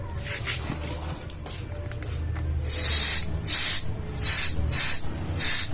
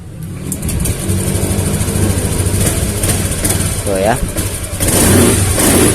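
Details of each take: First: Honda Beat FI scooter with a new injector but still hesitating: outlet blocked by finger and compressed air applied, short hissing bursts escape from the regulator when it should hold sealed; fuel pressure regulator leaking. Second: Honda Beat FI scooter, previously hesitating on throttle despite new injector, fuel pump pressure over 60 after fix; picks up cleanly on two throttle blips, back to idle without stumbling; normal revving.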